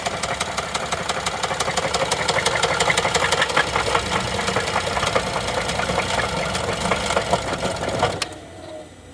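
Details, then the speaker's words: 2011 Chevy Traverse 3.6L V6 after hard start on a jump box: loud, even tapping about three a second over idle until shutdown; failed timing chains, codes P0011, P000D, P0024. "Ooh, that does not sound good. Ooh boy, that doesn't sound good at all. That smells. Oh no. I think that's an engine noise. Yeah, it's not"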